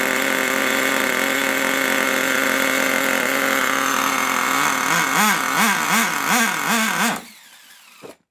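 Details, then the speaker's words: HotBodies 3.5 nitro engine in an HPI Savage 21 RC truck, first run in a long time, after idle adjustment: high buzz whose pitch wobbles unevenly several times before cutting out; running rough, cause not identified. "not very happy is it"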